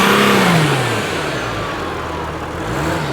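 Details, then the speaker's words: 2012 Mercedes Sprinter 3.0 L going into limp mode with check engine light and big power loss, under-hood while revving: engine revs up and settles with a faint airy hiss rising with revs; boost leak, turbo actuator lever moves normally. "while Matt is stepping on the accelerator pedal we heard a hising sound coming from under the hood which is caused by a boost leak"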